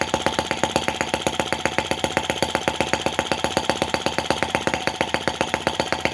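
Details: Brass half-tracked Lanz-type T16B model tractor on its first run, in reverse. Crisp, even firing pulses at roughly eight a second with no misses or knocks: normal running.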